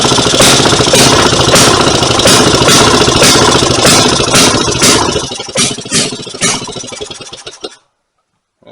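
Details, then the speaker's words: Rebuilt 1924 Maytag Model 82 single-cylinder washing machine engine, pull-rope started on a full tank of fresh gas: loud popping about two beats a second weakens, turns ragged and dies; stalls after starting, owner thinks the governor needs turning up. "tried to run there sounds like I need to turn the governor up some more and give that just a couple more turns it does want to run though it's a good thing"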